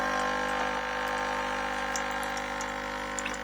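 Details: Even, low electric hum and buzz with watery trickling on top, holding steady throughout: the camper van's coffee machine pump running normally, powered from the LiFePO4 battery installation.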